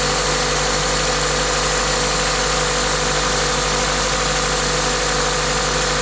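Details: Toyota 2ZZ-GE engine with an induction kit: smooth, constant idle with a loud steady induction-kit hiss over an even low hum, no knocks or ticks; normal idle.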